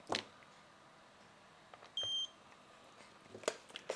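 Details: One short, high-pitched beep in a quiet room with a few handling clicks, from a used 10 kHz capacitor/resistance meter with a four-wire connection. Likely a low-battery warning, as the meter needs charging; not confirmed.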